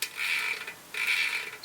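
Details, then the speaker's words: Velo Orange rear hub freehub just reassembled after cleaning and re-greasing the pawls and ratchet ring: bursts of fine, fast, light ticking as the wheel spins, soft and even with no grinding. Much quieter than before; healthy. "you want to do it against the pawls so that it clicks so basically turn it it drops right in oh listen to that"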